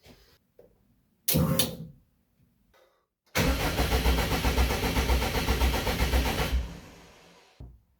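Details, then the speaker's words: Widebody Subaru WRX wagon race car on a Haltech Elite 2500, first start attempt: the starter cranks evenly for about three seconds with no firing. The fuel relay is not switching on, and the ignition switch needs hardwiring. "fuel relay is not turning on okay I can fix that engine control relay ignition switch needs needs to be hardwired that's fine"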